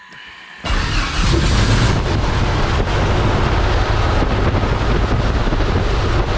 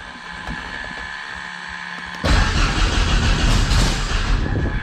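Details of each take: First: Thorp T-18 homebuilt airplane, unrun for about six months, with fresh fuel and a new starter; after another prime, with throttle cracked, the engine catches and settles into a strong, steady low roar with heavy prop wash, running normally. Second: Thorp T-18 homebuilt airplane engine, unrun about six months, fresh fuel, new starter, primed, mixture rich, throttle cracked: slow uneven cranking bursts into loud firing that fades again; catching but won't keep running.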